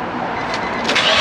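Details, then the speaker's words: Nissan 350z with Tomei titanium exhaust, after repairing a leak at the stock section with high-temperature sealant: clean start-up into a steady even note, no puffing or ticking; slight burble on lift-off from back pressure, spring makes a small clink. "Give it a rev. Sounds good. I kind of hear it. Sounds a bit queasy at the end, but that's just the end of the exhaust, yeah."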